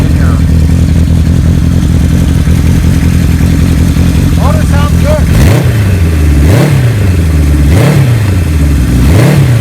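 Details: 1975 Kawasaki Z1 900 four-cylinder, auction bike with Yoshimura pipes and big bore kit, race cams swapped back to original. Crisp rev blips rise and settle evenly to a steady idle with no misses or knocks: normal revving.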